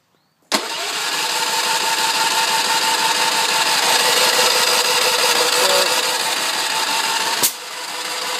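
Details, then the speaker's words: Ransomes 3500 engine, choke half, primed, full tank, economy off, unable to start for nearly a year: starter churns steadily about seven seconds but never fires; cranks, no start. "anyway that's it no start come on guys help me out with this"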